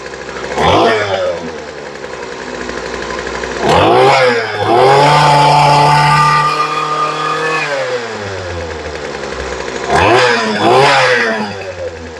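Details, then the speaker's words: Two-stroke weed eater with a new replacement carburetor after turning the low-speed screw out for more fuel: picks up cleanly from idle to high revs and drops back smoothly, no stumble or bog; sounds much better. "I think we might need a little bit more gas on the low side for this one that sounds a whole lot better there"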